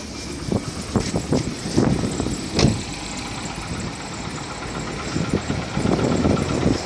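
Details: VW Polo 6R at 46,000 km, idling: irregular sharp knocks standing out over the running. Piston knock, fixed by replacing the pistons and cylinders.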